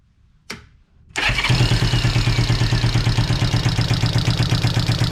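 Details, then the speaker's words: 1973 Honda CB350 that sat outside for 18 years, first start after adjusting the valves and timing, on a temporary fuel tank: a click, then it fires at once into a steady, even twin-cylinder putter; normal start and idle. "I feel better now that it's running after"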